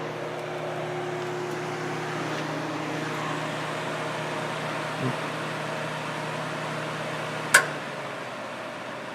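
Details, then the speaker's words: Kenmore dehumidifier, compressor restarted after sitting idle: the de-icer sensed ice and cut the compressor, leaving only a steady, soft fan hum with no compressor drone, then a sharp click as it attempts a restart; not low on refrigerant. "if it doesn't run for a while Tommy gets a little icy it senses it cuts the compressor and then we start it's probably gonna try to do a hot restart here"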